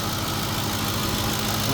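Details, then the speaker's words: 2007 Ford F150 5.4L 3-valve with new ignition coils and shaking at low speed, steady idle with a light quick tick from one side. Owner hopes removing that valve cover and replacing the VCT solenoid will cure it. "I just was waiting to put the ignition coils on today, but there's a ticking on this side, so I'm hoping once we remove,"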